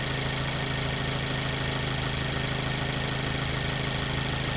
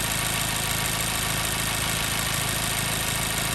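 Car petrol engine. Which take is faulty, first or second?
second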